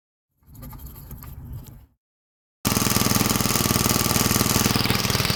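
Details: Small engine running after jet cleaning for no-start, bad idle or fuel starvation: a short hiss, a pause, then quick fairly regular pulses at steady speed; small engine running.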